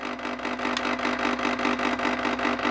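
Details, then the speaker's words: White Rodgers 1311 zone valve, thermostat call for heat from 70 to 80 degrees, valve starting from closed: faint steady whirring hum from the valve motor spinning toward open, no grinding or chatter; normal operation. "so you hear that the valve is spinning so this valve is in the closed position it's spinning and spinning"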